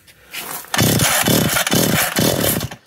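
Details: McCulloch Eager Beaver 2.0 chainsaw after rebuild with new parts and restored spark, freshly fuelled before tuning: two-stroke catches and revs up hard in a few strong, raspy bursts and carries on running; normal running.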